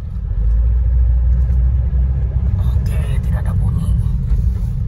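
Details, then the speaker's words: Front-wheel-drive car (Peugeot 206 per description) road test after CV joint service, which fixed a tek-tek clicking when turning: steady low road rumble while turning left and right, no clicking from the front axle; CV joints now normal. "Sudah tidak ada bunyi, belok kiri belok kanan, kita keluar lagi ya."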